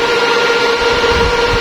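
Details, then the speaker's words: Repaired 5000W outdoor power amplifier, power supply and output boards rebuilt, power-up with rails around ±86V: loud steady rushing whoosh with faint hum from the high-speed fan and four power-supply cooling fans; normal. "เสียงพัดลมทำไมมันดังขนาดนี้นะฮะแรงมากนะครับผมมีตรงนั้นที่เป็นHighSpeed"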